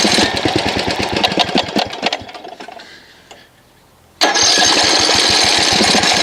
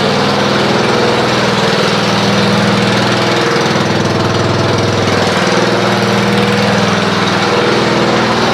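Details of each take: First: Snapper RER Comet mower engine that sat for about a year on ethanol gas, with a good plug, a checked air filter and the choke off. It makes choppy, uneven popping that sags almost to nothing, then surges back to a ragged run. Stale fuel is making it run rough. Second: Snapper RER Comet mower, previously rough after sitting about a year, now after running a fuel additive: steady, even idle with no misses or stumbles; it has smoothed out and runs normally, with no carburetor teardown needed.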